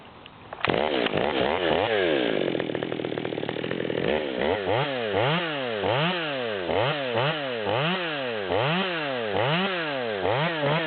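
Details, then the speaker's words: Modified Stihl MS200T chainsaw, 25-inch bar, tuned at its upper rpm limit: strong two-stroke scream holding high revs through each cut, dipping and recovering cleanly without bogging; normal cutting under load. "and so we're running a little bit better in the wood even though I didn't cut over the top"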